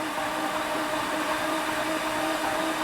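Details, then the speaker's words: Flood-damaged 2018 Jaguar F-Type SVR, 5.0 supercharged, with all spark plugs out and the fuel pump left on. A fast, even whirring spin with no compression pulses or catches; the engine cranks freely and normally. "didn't it that sounds okay oo and smell the fuel as well I didn't turn off the fuel pump I got no spark plugs in so oh that's really interesting now it's turning over all right"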